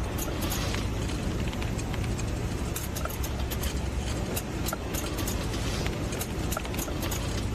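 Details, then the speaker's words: BMW driving: sharp scattered metallic scraping and ticking like coins dropping under the road rumble; a driveshaft noise. "是一种金属摩擦的一个声音。确实有很大的声音，肯定担心啊，万一开着这个传动轴断了怎么办？"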